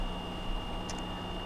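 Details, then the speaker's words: Frigidaire PLHS37EGSB1 refrigerator with the compressor not starting (evaporator fan running, not cooling), after fitting a hard start relay/overload kit: low steady hum with a faint constant tone and no clicking or cycling off; compressor now starts and runs normally. "i like to take my power cord and plug the unit back in and we have compressor so that took care of our problem"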